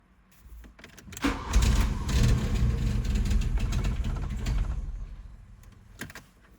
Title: 1986 Jetta hard starting